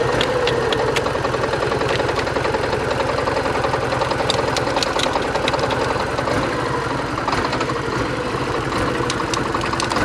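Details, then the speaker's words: 1987 Porsche 924S after new fuel pump install, oil light flashing despite good oil pressure; uneven, lumpy idle stumbling three or four times a second, owner suspects injectors not all firing and may clean them. "i don't think we're firing on all the injectors actually let's check make sure we're not leaking anything i don't see nothing but we are missing hardcore"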